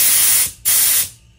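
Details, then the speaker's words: Rehabbed Craftsman air compressor with new Flexzilla hose, couplers and ball valve, blower cycled by the ball valve: two strong clean hissing bursts starting and stopping sharply, possibly a slight leak far less than before the repair; normal air blower flow. "so I believe I can hear a slight leak but it's nowhere like it used to be where I could hear it across the garage"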